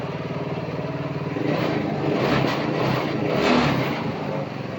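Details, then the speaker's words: Side-by-side fired up for testing after new brake sensor installed, harness still apart: engine catches and responds cleanly to throttle blips, steady even beat, no misses; running well, idle may need slight adjustment. "Throttle's very responsive, engine sounds good. Might need to adjust that idle just a little bit more."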